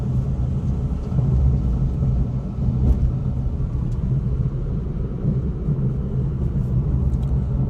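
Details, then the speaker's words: MG Comet EV 2025 at about 28,000 km, after repair of door noise, driving on rough concrete road with window down: only low even road rumble, no ticks or rattles from doors; no door rattle. "Door noise इथून पण noise येत होता continue अस वाट लावलेला आहे तो आता check करा थोडा सुद्धा येत नाहीये"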